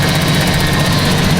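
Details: 1982 Datsun 280ZX found abandoned, first start on new battery with a little gas: steady low even idle with no knocks, misses or stumbles; runs cleanly, though radiator appears to have no coolant.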